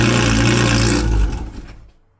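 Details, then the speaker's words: 2011 Lotus Evora S with a newly installed Capristo valved exhaust and CES3 controller, valve open: deep, loud, rowdy idle rumble that cuts off and fades away; normal healthy idle. "Okay, and just like that, the exhaust is working. She's really rowdy."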